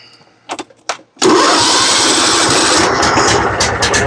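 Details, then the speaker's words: John Deere riding mower, Kohler Command engine, newly fitted cheap aftermarket carburetor: cranking bursts, then catches and runs rough, stumbling; carburetor dumping fuel and flooding the engine. "Come on, straighten up. Getting way too much fuel. Oh yeah. Well, let's pull a new one off, see what's wrong with it. This is dumping gas."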